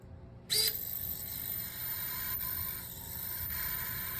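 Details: Savox coreless servo with the old-version PCB/firmware: a steady high-pitched whine and hiss start the moment the servo is forced against load. This is normal holding noise for the old board; the new silence-software board is quiet.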